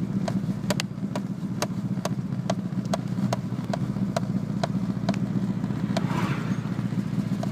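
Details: Renault Clio 172 Cup cold idle: uneven lumpy low rumble broken by sharp ticks about every half second; misfire when cold.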